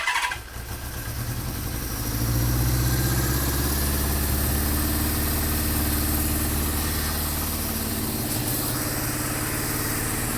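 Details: Honda CB550 four-cylinder after carb synchronisation: steady, even idle settling after a brief start, no misses or hunting, idle now adjustable from about 500 upward; carbs synced, engine runs smoothly.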